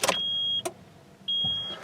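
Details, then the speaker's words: 2003 Nissan Frontier 2.4L 2WD, key on after a fuel pump replacement: two short high whirs about half a second each with a pause between, the new pump priming normally before start. "if all works well I should hear a birla okay fuel pump just primed and prime it a couple times"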